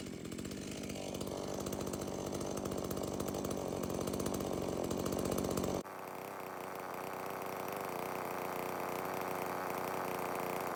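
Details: Stihl MS170 chainsaw, brought in as a no-start, about 13 months old and barely used: steady crisp high buzz under throttle, pulls cleanly through the cut, starts, runs and oils fine.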